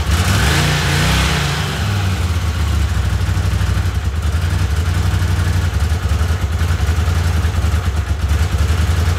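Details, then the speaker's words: Honda CX500 vintage motorcycle, started late at night with replacement carbs after ignition repair: throbbing twin with an occasional sharp puff every few seconds; owner suspects a vacuum leak from a poor connection near the carburetor. "got a vacuum leak so I ate a little puff every time"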